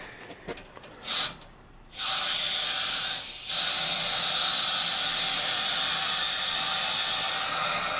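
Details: Gas boiler with no heat on the second-floor zones, small half-inch PEX zone. Sharp bursts then a steady loud hiss of trapped air rushing out through the purge hose; air-bound heating zone, a flow-check blockage suspected.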